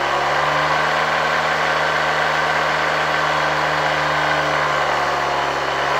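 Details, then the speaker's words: 1972 Hoover 1346A vacuum cleaner after reassembly, run from a voltage regulator at slightly reduced voltage: loud, steady motor drone with strong low hum, much louder than the motor alone outside the housing. Housing resonance suspected, motor possibly screwed in too tight. "I have to admit, this motor was much quieter when it was removed from the vacuum cleaner . After installing it in the entire housing, it's quite loud."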